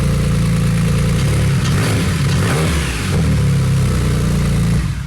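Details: Wrecked Porsche 911 Turbo flat-six after clearing oil hydrolock, revved to burn off residual oil in cylinders: pulls up through strong revs and settles, smooth and even with no knocking or misfire; sounds healthy.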